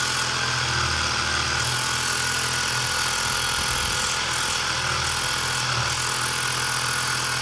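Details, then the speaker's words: Woscher tyre inflator that failed within three months, with a burnt PCB component, switched on from a bench power supply. A loud buzzing motor with fast, rough piston chatter runs at steady speed, now working. "so at least it is working. Now I will go ahead and test with the tire whether it is able to inflate the tire or not."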